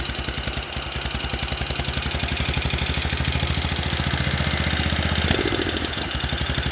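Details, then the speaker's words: Homemade motorcycle, small single-cylinder carbureted engine: uneven, stumbling beat around four pulses a second, faltering near the end; suspected fuel problem, carb bowl found with some grit and a small jet suspected, not confirmed. "That sounds to me like a fuel problem."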